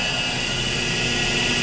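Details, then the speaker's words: 1991 Dover Impulse traction elevator at a 4-floor Texas A&M parking garage, broken car stuck at the 4th floor with doors open. A thin, steady high buzz runs continuously under rushing background noise from the buzzer in the phone box. Continuous fault buzzer. "And look at the other elevator. The other elevator is broken. Listen to that sick buzzing."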